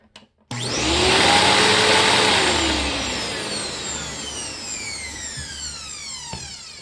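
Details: Simplicity upright vacuum on a test run fitted with a stretched, reused Panasonic belt: motor spins up to a bright, steady whine and settles without rubbing, slapping or squealing; the belt drive runs smoothly and evenly.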